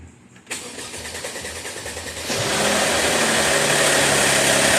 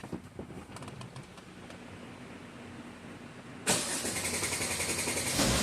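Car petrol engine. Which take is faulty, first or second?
first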